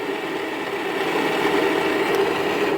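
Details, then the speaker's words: Electric motor for a DIY electric truck project, spinning with no load at about 2.5 amps, gives a loud, rough, gritty mid-pitched whir, louder than the owner's other motor. Worn bearings need work. "like I said this one has some bearing issues that's why it sounds like that I'll use the other one that's quieter"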